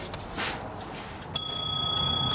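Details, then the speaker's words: Porcelain clock after a full movement overhaul and repair, pendulum ticking and bell refitted: quiet room, then one clean bell strike with a clear ringing tone that holds and fades evenly; the striking works normally. "She's going to hear it striking away like that. And because she's losing her sight as well, she'll be able to hear this, and it'll be music to her ears."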